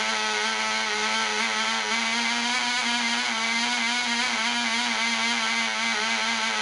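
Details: Black Widow mouse racer glow engine on its first test run: polished crank bearings, fitted cylinder/piston, high-compression head, 5x3 prop, 24% nitromethane, needle valve set at three turns. A high steady buzz with a slight warble, soft and burbly; it is being run rich.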